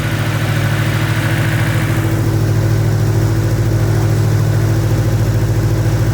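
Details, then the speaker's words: Nissan S15 after first start, with a borrowed fuel pressure regulator fitted to fix erratic running. Steady, even idle with a smooth low rumble, no tinny rattle or misses, now that the oil has moved around; sounds healthy, normal idle. "That's it. Well done. Just sounds amazing."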